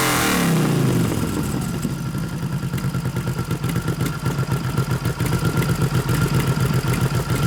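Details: 1989 Harley FLST Softail with aftermarket 93ci panhead stroker conversion (3-5/8" bore x 4-1/2" stroke) during tune-up: uneven, lumpy idle about four pulses a second with skips as one cylinder drops out; intermittent misfire, ignition suspected.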